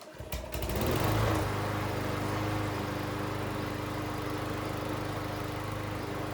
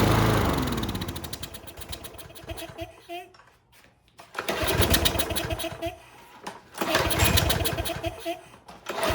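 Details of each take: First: Troy-Bilt self-propelled lawn mower, fully serviced after barn storage, carburetor refuelled: starts and settles into steady even running with no misses; self-propel drive tested with wheels spinning, tension good. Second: Troy-Bilt 21-inch self-propelled lawn mower that sat outside, choke on, air filter off: engine revs, sags nearly to stalling, recovers in uneven cycles; carburetor or automatic choke suspected.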